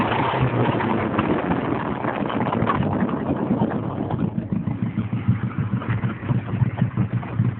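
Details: 1987 Mazda 929 LX, 2.2 inline-four with two-barrel carburetor and no catalytic converter, running rough with sharp, irregular pops and puffs growing choppier; backfire from a bad exhaust leak ahead of the first muffler.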